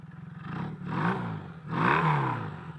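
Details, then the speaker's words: Kawasaki KZ440 single-carb motorcycle, engine recently rebuilt with few miles, now warm after a ride: two smooth rev-ups returning to steady idle without stumbling; earlier possibly a little rich and breaking up. Normal warm running. "I'm hoping listen to that now that she's warm that sounds nice"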